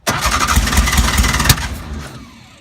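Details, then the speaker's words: Porsche 356 Speedster that drove fine earlier that day: fires with a few quick uneven pops, tries to run a second, then dies; people suspect no fuel getting through, cause unknown. "Looks like there's no gas."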